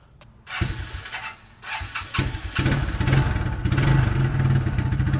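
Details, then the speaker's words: 1994 Suzuki Quadrunner 250 4x4 ATV single-cylinder after a carb rebuild, battery not charged so started on a jumper box: cranks, a few uneven pops, then a slightly lumpy but steady idle, left idling to warm the oil before an oil change. "see the battery is not charged so i'm running the jumper box on it i'm gonna let it idle for now and warm up the oil so it's easier to drain"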